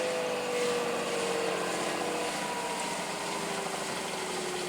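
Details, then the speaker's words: Washing machine on test at the end of a cycle, briefly spun to about 1200 rpm: a smooth whine sliding steadily lower in pitch as the drum coasts down, with no knocks or scraping; a normal spin run-down. "and yes that noise that you hear is just like normal right"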